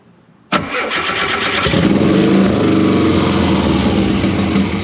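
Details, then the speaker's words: 1973 VW Super Beetle with swapped Subaru engine, fuel and AFR tables just regenerated, idle air control untuned, suspected leaking injector: cranks, catches, runs lumpy and uneven, struggling to settle; rough idle from untuned idle air control. "so we are getting it running but without having the iac working it's really hard to keep it idling"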